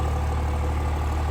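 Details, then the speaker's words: 1000 hp Cummins diesel pickup with hood stack, after fixing rail pressure drop: deep, steady idle with even low throb, no stumbles or misses; idling much smoother, rail pressure now correct. "This thing's idling way better. I don't know if y'all can tell or hear it, but it's running way smoother, idling way better."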